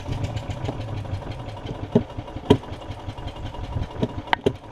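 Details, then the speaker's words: Yamaha golf cart on battery, tried on choke, stale fuel in the carb bowl (fixed by a drain and flush of the bowl and top jet): cranking with scattered pops, fires once but won't keep running; owner suspects main jet. "it does fire that one time if y'all can hear it you hear it so it means i am getting some fuel here it's trying it's more than it did"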